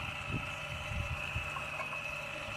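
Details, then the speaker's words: Electric parking brake caliper motor powered from a small pocket battery with polarity reversed for a brake pad service: thin, steady high-pitched whine at constant pitch as the worm gear winds back in; normal retraction. "Once you hear the motor stop, I'm going to disconnect it straight away. Once the worm gear's wound in and we're finished, you can then use a piston spreader tool"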